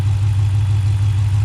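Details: 2018 Dodge Durango 5.7L V8 after swapping on a 6.4L Scat Pack intake manifold, with MSD box wired in, first startup after the swap; steady even low rumble, no misses, knocks or ticks; normal idle.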